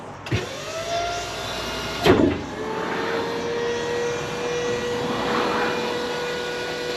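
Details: Dumpster truck built from an auction truck with a Japan donor and old forklift parts, electric hydraulic pump tipping the deck; pump spins up quickly to a steady even whine, no straining or grinding. Normal hydraulic pump operation.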